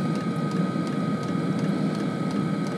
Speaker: it's the the fuel pump's kicked over in a fast burn now